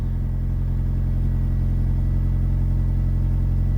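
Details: 1999 Mitsubishi Pajero Pinin/iO (Lancer-type engine) after fixing bad high-pressure fuel pump that caused crank-no-start: steady deep rumble with even low pulse, no knocks or misses; running normally.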